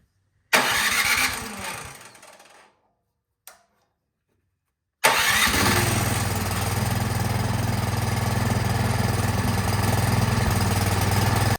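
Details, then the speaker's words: 24-inch Craftsman snowblower after removing and cleaning the clogged carburetor, choked and set to run: after a pull and short cough it catches and settles into a steady, even idle; normal running. "All right, that is good, it's running. So definitely something in the carburetor was clogged up."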